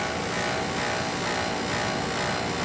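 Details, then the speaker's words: Old oil boiler, motor never oiled: continuous, even whine over a loud steady burner rush; motor whine believed to be the pump short of oil, before oiling. "that pump wine is like it's that it's like it's stopping for oil that's what that's about"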